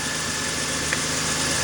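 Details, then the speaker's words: 1995 Toyota T100 V6, almost 300,000 miles, after alternator replacement and belt refitted: short steady idle with an even beat, no tick, rattle or belt squeal; running smoothly, correct charging reading across the battery. "Sounds like it's running sweet. Everything up to speed."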